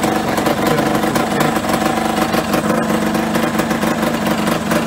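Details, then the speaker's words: Yamaha RD125LC two-stroke, just started after standing 17 years, petrol fed through a makeshift funnel: rapid, crackly popping holding a fairly even idle beat; engine fires and keeps running properly. "oh I forgot to the car bro can't believe it runs okay super her"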